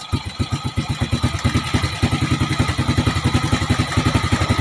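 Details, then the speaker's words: Motorcycle single-cylinder carburetor tuning, mixture screw turned counterclockwise from fully closed, stopping where the idle rises: even pulses around three or four a second, idle speed steadily picking up as the screw opens. "ayan, tumaas na mga tol. So stop muna tayo dyan no."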